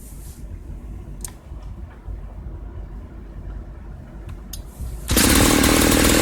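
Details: 1995 Ardisam 8900 Earthquake two-stroke auger, bought non-starting, repaired; late-evening cold start: quiet pulls, then it fires on the first pull into a loud, steady buzzing run. Normal cold start.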